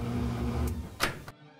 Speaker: that loud click you hear well that's the lidlock safety